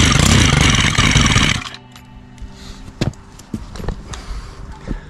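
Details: Stihl HT 131 pole saw, 4-MIX engine, won't start: catches on carburetor spray and runs about a second and a half, then dies; spray test shows spark but no fuel delivery, carburetor and impulse line suspected.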